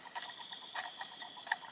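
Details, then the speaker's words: Japanese Panasonic 3DO FZ-10, after laser repair, previously wouldn't read discs, run on 100V transformer, reading a scratched disc: light irregular ticks and clicks with faint spinning as the head seeks, slow boot; disc drive reading normally. "It's definitely reading it, and there's some logo on the screen, and it takes a while to boot the game, you know, before the menu appears, but it's definitely working."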